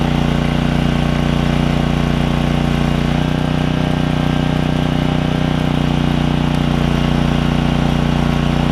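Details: Generac generator with Briggs 9hp Vanguard after ultrasonic carb clean of heavy varnish, stale fuel tank flush and new fuel line; steady constant-speed drone holding firm under electrical load; running properly.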